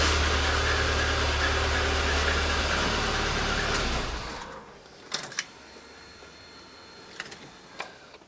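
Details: 1999 VAZ 21099, about 200,000 km, after alternator refit for whistling and sparking: smooth, even idle about four seconds with no whine or crackle, then switched off; likely cause was poor alternator ground contact.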